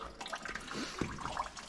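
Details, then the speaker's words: John Deere 450B dozer, engine off during teardown: steady splashing and trickling of coolant pouring heavily from a leak at a spot repeatedly wiped before, explaining coolant getting into the engine. "and I hear it going crazy that is something else that explained why uh so much coolant in my engine"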